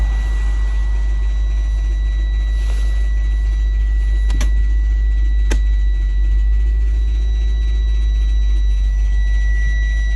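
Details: Subaru Exiga 2.0 GT STI: a steady high whine over a heavy low rumble with two sharp clicks as the gearbox whines and grinds; the car will not drive forward or reverse.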